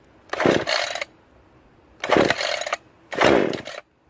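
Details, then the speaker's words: Brand-new Remington Outlaw RM4620 20-inch gas chainsaw, recall replacement, first start on full choke after priming: three short bursts catching and revving about a second each; easy, reliable start. "that's it that's all there is to it man this was easy really easy pretty reliable start"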